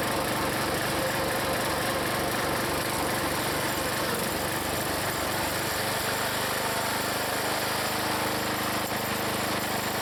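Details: Log splitter's small single-cylinder engine, after adding Seafoam, in cold weather splitting wood: steady even thump holding speed, pitch settling as the splitter loads it, no misses or knocks; normal running under load.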